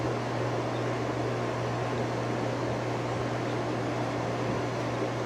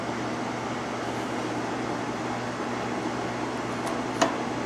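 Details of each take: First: Outdoor fan, first run since last year after a cold winter: steady low electrical hum under the airflow at low speed, more hum than at medium; motor humming. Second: Outdoor patio heater tested after a hard winter, fan on the low setting (of low/medium/high): smooth, even low hum with a soft airy rush, no rattle or ticking; running normally.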